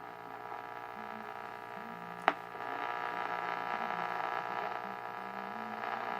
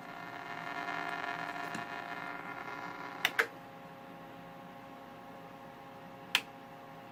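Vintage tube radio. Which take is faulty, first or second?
second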